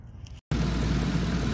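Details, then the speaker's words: 2010 Ford Expedition 5.4 V8 after a new crankshaft sensor for codes P0016/P0346: after a brief dropout it settles into a steady, even idle with a smooth low drone and no rattle or tick. Normal idle after the repair. "here I have just turned it on and as you can see the truck is fine but good here I also really liked how it turned out"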